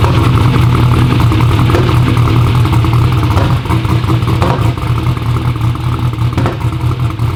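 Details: "Black Sheep" V8 car at first fire-up lopes unevenly with irregular pops and stumbles under the rumble; misfire and popping. Crank trigger was suspected first.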